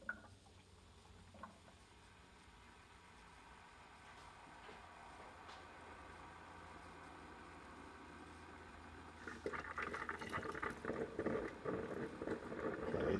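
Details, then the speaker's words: Ninja coffee maker brewing normally with steady gurgling and bubbling, after a five-beeps stop was fixed by turning it upside down to drain the lines and release trapped air, then plugging it back in. "let's give it a few seconds see if it keeps going it looks good I think it would have stopped by now"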